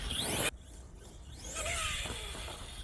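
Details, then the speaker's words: New Arrma Kraton 6S EXB BLX 1/8 scale brushless RC monster truck driving down a field; thin, high whine and screeching from the gearing, rising and falling with speed. "listen out to the whin and screeching this actually makes as you can hear it going down the field you can hear it screeching"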